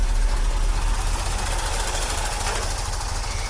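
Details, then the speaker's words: 1982 Corvette C3, revived after a decade sitting outside, fuel system overhauled, cold start: rough V8 idle with uneven pops from the throttle bodies over a deep rumble, a vacuum leak suspected; popping at idle. "can hear those throttle bodies popping"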